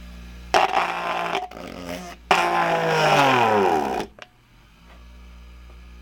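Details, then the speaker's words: 120 V AC dishwasher motor (rated 3350 rpm) on a variac at about 40 V and 0.3 A, running over 3000 rpm: smooth whir with tones sliding as speed changes and no rattle or grinding; it runs smoothly. "and so look at how easy how creamy smooth that sounds and firm for just a little bit of Power Point 3 amps and 40 volts and I mean that thing screams"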